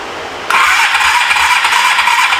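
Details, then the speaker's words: 1983 Suzuki GS450A automatic, not run in years, jumped from car battery: starter cranks with harsh busy rattling clatter over the whirr; owner suspects clogged carburetors needing cleaning, fuel line leaking, runs only on choke. "I bet you those carburetors will stop plumb up. Yeah, those carburetors need to be cleaned."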